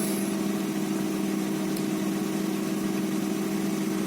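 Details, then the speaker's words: 2003 Honda Accord V6 idling smoothly after cylinder head bolts torqued into Helicoil-repaired stripped threads; steady even hum, no knocks or misses, no check engine light, started readily once oil system primed; cooling system still holds water; normal idle. "e the car is running give it a little rip sounds good so I guess that's another win definitely I was really anxious to see how I ran and I'm glad everything went well"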